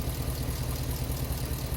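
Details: Hemi V8-swapped Jeep JK with new exhaust, after power steering pump replacement and bleeding; low, even throb at idle with a steady beat and no squeal or ticking on top. Smooth, healthy idle.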